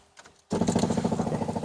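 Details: Classic VW Beetle, engine cold, during an electric A/C install: after a brief quiet spell, a rapid steady ticking buzz from the electric fuel pump. Too noisy; the pump is to be replaced.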